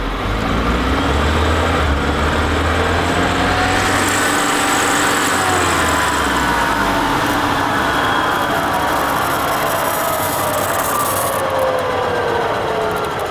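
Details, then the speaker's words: Car coasting in neutral with engine switched off from 70, rumbling growl with whining tones falling as it slows; owner suspects transmission, like a manual with a bad input shaft bearing, also heard when crawling slowly. Transmission growl while coasting, unconfirmed. "it all right so I actually think the noise is in the transmission and I kind of kind of was weary of that at first because anytime you're crawling along really slow you can hear like gears running together or like a a growling something"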